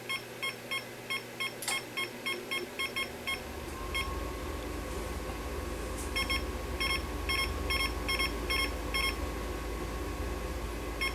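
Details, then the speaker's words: Fluke tester with a 6502 pod on a 1979 Atari Asteroids arcade PCB, showing a control error on bit 4 (R/W). Short, sharp high beeps in uneven bursts over a low hum. Error beeping; the cause was later found to be a bad pod cable. "hmm i don't know i don't know guys i'm trying to clear this control error"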